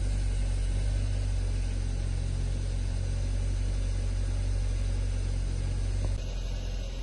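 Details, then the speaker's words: Hyundai Sonata 2.4 with a knock complaint, after cleaning the suspect solenoids: smooth even idle rumble with no knock for now; the tapping returned after about 10 minutes of driving and grew stronger. "двигатель работает достаточно Ровно сейчас штука до сих пор нет"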